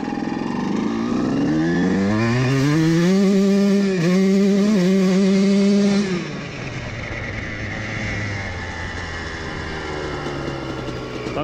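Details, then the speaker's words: CR125 two-stroke fitted with a larger main jet than the previous 410, held at full throttle. Revs climb, then hold with brief stumbles and spitting instead of clearing, and spooge comes from the silencer; slightly rich on the main jet. "après avoir fait du vélo pour quelques minutes avec ça plus grand jet principal, nous avons un peu de spooge qui sort le silencieux ici certainement un peu riche"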